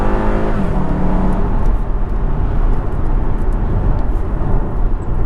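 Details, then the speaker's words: Jaguar XKR V8, after the exhaust valves were cable-tied closed and fuse 19 removed: a full-bore acceleration pull is a deep, even roar climbing in pitch with no harsh bark. The exhaust is much quieter; a big improvement. "now that is a big improvement"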